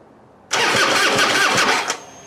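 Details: Harley Heritage Softail after fuel pump replacement, no fuel in tank: starter spins engine briskly about 1.5 seconds with even cranking pulses and no firing; cranking sounds healthy.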